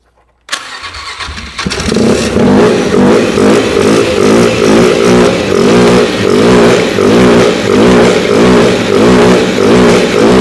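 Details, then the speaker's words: 2008 Polaris Ranger 500 UTV; bad fuel or a bad fuel pump suspected, unconfirmed. Cranks, catches and settles into an uneven, lumpy run with a slow pulsing beat, never smoothing out. Rough running. "Doesn't exactly sound good. That's a start. That is a start."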